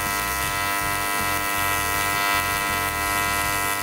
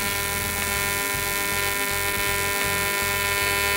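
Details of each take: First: YesWelder CT2050 AC TIG welding an aluminum butt weld, coupons spaced off a 1/2 in steel table, keyhole and dab filler: steady, even high-pitched buzz with a constant hum, no crackle or sputter; normal stable arc. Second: YesWelder CT2050 AC TIG on aluminum with balance raised to 50%, very high for this material: a steady, harsh buzzing arc; needs much more current, and the tungsten overheats and balls up; audibly different from lower balance.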